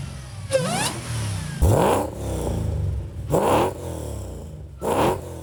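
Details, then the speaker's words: Nissan 350Z with a Hellcat supercharged V8 engine swap: four sharp throttle blips, each climbing quickly and falling back to a smooth idle; revs cleanly, normal revving. "logramos hacerlo rugir como se debe y suena brutal."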